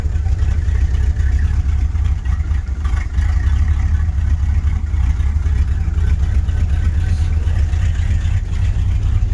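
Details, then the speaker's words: 1983 GMC C3500 one-ton 2WD crew cab truck: deep, lumpy idle with an uneven low throb that never settles; sounds rough, cause not yet identified. Rough idle. "Sounds like crap. We're going to address that later."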